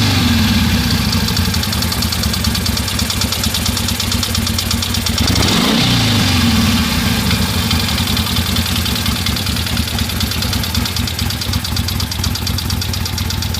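Loping V-twin idle with a sharp, irregular tick riding over it, about two a second; a knock from the top end. Cause suspected, not confirmed.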